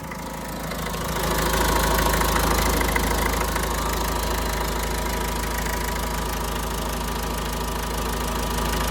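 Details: Renault Trafic diesel work van, nearly 240,000 miles: steady idle with a constant whirring growl riding on top that doesn't change; worn bearing noise traced to a faulty alternator.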